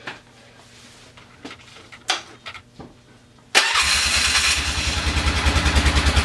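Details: 1996–97 Polaris Sportsman ATV after replacing clutches and fixing AWD: cranks briefly, catches and settles into steady even idle with regular beat, no rattling or banging; clutch nice and tight, problem solved.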